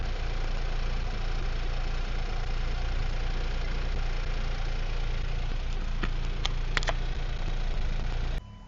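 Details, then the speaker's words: Hyundai Venue turbo petrol manual on a morning cold start. A steady low idle carries a rough, tractor-like clatter at about three to four beats per second that fades over time; the owner is unsure if only his car has it. "Engine வந்து gold ஸ்டார்ட்ல ஒரு மாதிரி கிருன்னு ஒரு sound வந்து கேட்டிருக்கும் ஹைட்லிங் ஸ்பீட்ல அதுக்கப்புறம் கொஞ்ச நேரம் கழிச்சு அப்படியே கிராஜுவலா அப்படியே குறைஞ்சிருச்சு"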